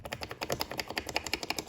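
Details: 2018 Ford Mustang GT (S550): fast, light plastic clicking, about ten per second, from loose door panel retaining clips being worked by hand. Stuffing polyfill between the clips cut the noise.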